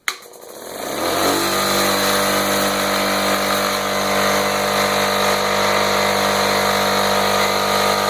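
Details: Home Depot mid-grade air compressor after replacing failed reed valves with HL4000 kit: motor spins up within a second to a steady, even hum with a clean tone, no knocking or stalling; runs properly after repair.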